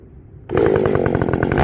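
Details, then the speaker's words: Ported Echo 670 chainsaw, first time cutting wood after porting, tune only roughly set: it snaps to high revs and holds a crisp, steady two-stroke howl in the wood without bogging. Normal running under load. "I fired it up. Sounds good. Feels good."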